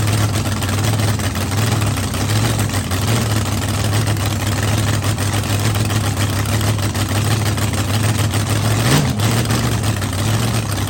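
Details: Blown V8 on first fire-up after rebuild, at night: deep, steady burble with even lumpy rhythm and one small blip; idles smoothly, no leaks, assembly lube melting off the hot head.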